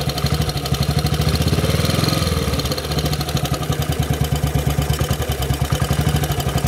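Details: Model 8 motorcycle engine ticking over, recorded cold then hot, with a steady rapid knock on each firing pulse, loudest low down; more noticeable at 40 mph and above, origin unknown.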